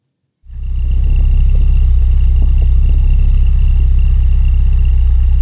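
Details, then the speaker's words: Classic Porsche after oil/coolant flush for a coolant-oil mixing issue: catches and settles into a deep, even, steady idle with no knocking or hunting; left running to check whether oil pressure drops; very loud fan. "Sounds good, doesn't she? I'm going to leave her running for a bit now and see if the oil pressure goes down."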